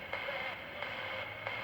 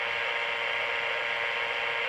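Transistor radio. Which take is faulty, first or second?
second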